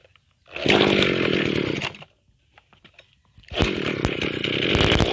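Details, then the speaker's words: Mikino/Vikino 768A two-stroke motor sprayer after replacing the faulty carburetor; spark was checked good. Two clean, high-pitched revs with a pause between; picks up crisply and holds speed. Normal running. "đây thưa các bạn tôi nó thay bộ chế ta bơm xăng lên coi nó hoạt động ra sao"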